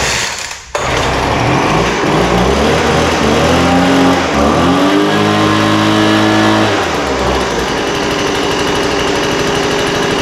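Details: Poulan Pro 200 mph blower running normally after a carburetor adjustment, the too-rich idle mixture leaned and the top end tuned; a sharp buzzing two-stroke that revs smoothly to a steady high speed and returns to an even idle.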